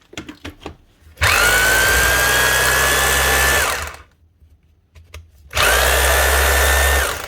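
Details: Makita HR2630 SDS+ drill (2022) after rebuild with new piston, striker and O-ring and regreasing; two 2.5-second bursts, clean steady motor whine, runs normally; hammer may take a moment while grease spreads.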